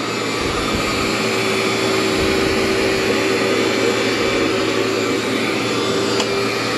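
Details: Cleartrak/Workhorse vacuum after brush and belt replacement, set to floor: steady even high whir of motor and brush roll with no rubbing, flapping or speed dips; running healthy.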